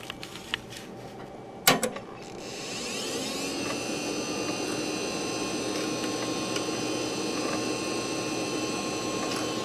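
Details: Old Socket 7 computer being cleaned and revived: hard drive spins up with a rising whine, settles into a steady hum with occasional sharp clicks as it struggles to initialize.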